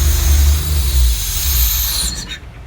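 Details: Slant 6 at idle: a loud, steady high-pitched hiss and whistle over a lumpy idle from a vacuum leak whose source the owner can't find.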